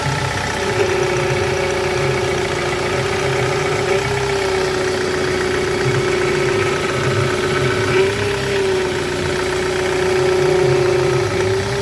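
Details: Ford Transit Connect 1.8 TDCi 2006 at idle, after a loose power steering hose lost fluid and was refitted and refilled, wheel turned side to side to bleed: steady wavering whine from the pump; air in the power steering circuit.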